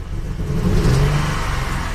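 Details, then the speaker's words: Audi 100 C4 2.8 petrol V6 on LPG, said to be freshly rebuilt and still running in, that lacks power and stalls while driving: the revs rise unevenly with a lumpy, stumbling drone; the engine is misfiring badly. "значить троїть двигун власник купував йому сказали двигун від капиталили він ще на обкатці але троїть страшно"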